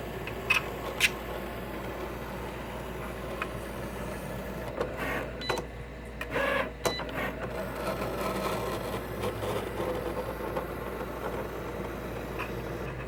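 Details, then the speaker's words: Cricut Explore Air 2 cutting machine while cutting: uneven crunching scratch over motor whir, bursts coming and going; scratching noise, cause not determined. "it's that noise, that crunch, whatever noise, that scratching noise. You hear it?"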